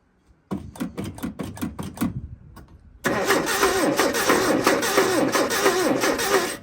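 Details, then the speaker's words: 1981 Chevy LUV truck revived after 23 years in a field, first start on little gas: uneven cranking, then ragged clattery run with a knock; distributor wire fault later fixed. "All right, stop. We're getting a weird knocking sound up here."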